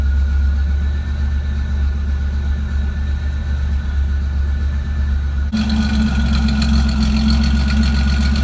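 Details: Car idling with an uneven, stumbling beat about four times a second under a low hum, a misfire of unknown cause. Disconnecting and reconnecting the MAF sensor makes no difference.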